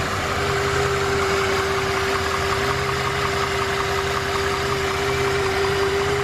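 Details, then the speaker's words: $850 salvage Mercedes S600 V12 on stock exhaust, started to hunt high-pressure hydraulic suspension leaks, with the ABC pump suspected bad: an even, smooth idle with a steady tone and no knocks or misses over six seconds. "3, 2, 1, fire in the hole. Yes, sir. Let's go. Sounds good."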